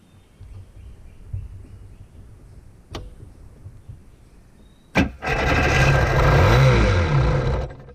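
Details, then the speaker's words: 1992 WaveRunner WR500 two-stroke, probably not run for at least a year or two, test-fired with 2-stroke fuel poured into the intake: weak turns, then fires and screams to full revs, running wide open with no choke or throttle attached. "Probably hasn't run in at least a year or 2, but yeah, probably heard it rev right up. It's because this there is no choke or throttle or anything attached to it right now, so it's running wide open."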